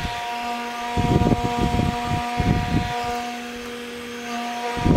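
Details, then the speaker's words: HP 3561A dynamic signal analyzer cooling fan after bearing repair, run on a bench supply at about 18–24 V drawing 200 mA: steady airy blade hiss with a few tones; bearing only faintly audible at lower speed. "mostly now i can hear is the breeze coming off it mostly here now the blades rather than the bearing so i think it's an improvement"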